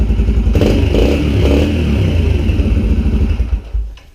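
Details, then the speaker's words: Yamaha TT-R125L single, cleaned carburetor, air screw about 2¼ turns out, idle adjusted, old gas still in tank, semi-warm: picks up cleanly on quick blips, settles to steady idle, shuts off without sputtering; normal running and revving. "so I set the carburetor on this one at about two and a quarter turns out on the air screw and you know just adjusted the idle to match that and it seems to be running just about as good as it's going to run"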